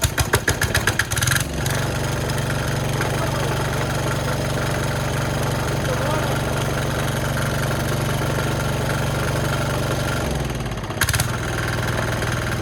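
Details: Cheap Chinese diesel from Amazon on plywood, started with throttle just off the stop and decompressor: cranks, catches, holds steady even thump about nine seconds before shutting off; normal idle.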